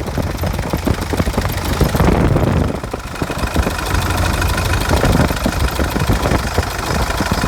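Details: 2005 CRD diesel after harmonic balancer replacement: an uneven, sharp knocking repeats through the idle; cause not yet explained.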